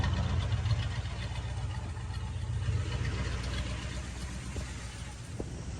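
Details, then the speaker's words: 1972 Buick Skylark after fluid refill: low even idle rumble, steady with no knocks or stumbles; took a little to start but runs healthy. "Well, she sounds pretty good, nice and healthy."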